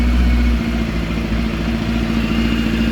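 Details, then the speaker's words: Kawasaki GPX 600R after carb rebuild and fuel tap vacuum blanked off, choke on, sat over a year: catches quickly and settles into a steady, even idle with no misses; healthy start. "we have our choke on and let's crank it over [Music] whoa that was a lot quicker and I [Music]"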